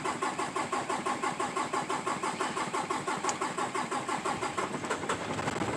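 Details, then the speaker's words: 2018 Peterbilt 579 with hard-start problem since new despite dealer replacing priming pump assembly; steady starter churn goes on and on with high battery draw before finally catching; extended cranking hard start, starts normally after long overnight breaks. "there we finally got it that is absolutely positively ridiculous"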